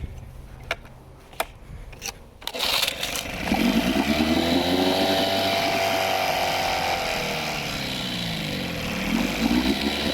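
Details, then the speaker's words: Small two-stroke outboard with choke off idling fast and high-pitched, wavering, about 3,000 rpm, sucking air; lean running from a vacuum leak, fine with choke on, mixture screw richened to compensate. "Take the choke off. Oh, you can hear it sucking in there now. You can hear that vacuum leak."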